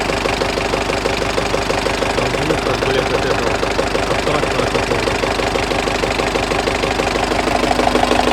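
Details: Turbo diesel idling during warm-up, coolant about 60–65 °C, oil pressure about 2.2–2.3 kg (4 cold): sharp regular knock about three per second over the idle; internal knock of unknown origin, present for about 1000 km.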